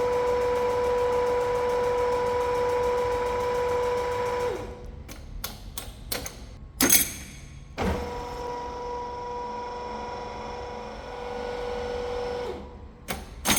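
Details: Large lathe apron test run after replacing broken gear selector fork that stopped reverse carriage feed, refilled with oil: even steady whirr, lever clunks, smooth re-engaged run; feed gearing runs cleanly.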